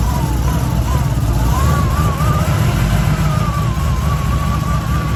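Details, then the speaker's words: Cadillac CTS-V supercharged V8 first test fire after installing a new Kong Performance Stage X ported LSA blower, 60 psi fuel pressure, no leaks, engine covers off: deep steady rumble with a wavering blower whine near one kilohertz; sounds really good, normal running. "Sounds really good."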